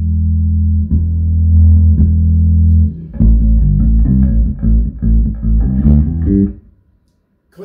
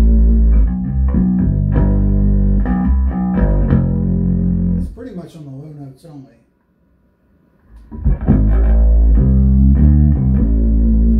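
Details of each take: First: Hartke 3500 bass amp under test for distortion, compressor and EQ off, volume turned up: clear, clean bass notes with no fuzz, crackle or rattle; the speaker is not the cause. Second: Hartke 3500 bass amplifier, EQ engaged, compressor halfway, tube and solid-state preamps up: each plucked bass note has a buzzy fuzzy edge instead of clean tone; amp distortion, cause not yet found.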